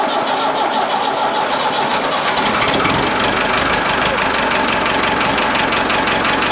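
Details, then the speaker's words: Ford 5600 tractor diesel idling after reinstalling the leaking injection pump and bleeding the lines: even, steady clatter with regular firing beat, no misses or knocks, no leaks; sounds as before removal, injection timing about right. "all right guys everything looks good no leaks anywhere engine sounds good you can really tell the timing by the sound of the engine it sounds just like it did before I pulled it off it means I got the timing right about where it was"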